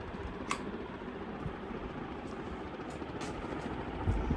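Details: Newer-style GEC Bianca 50 W ceiling fan running: a soft even hum with a light air rustle and no buzz left after the intermittent buzz heard on high went away when switched back down a speed; running normally.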